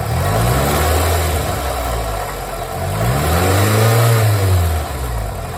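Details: 2005 Toyota Camry XV30 petrol engine revving and settling: dull knock resembling piston slap or rod knock, diagnosed as a failing water pump.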